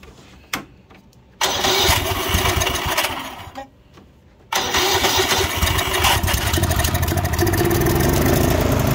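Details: Murray 24" rear-engine riding mower with a 190cc Briggs & Stratton, turns over but won't start; fuel is in the tank and no water is seen. It fires on starting fluid, runs seconds and dies, then runs ragged; fuel starvation suspected.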